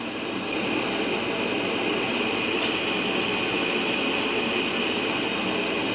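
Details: Garage heater converted from natural gas to propane, fired up during the manifold pressure test with a manometer reading dead on 10: steady even burner roar, no popping, surging or flutter; burning cleanly.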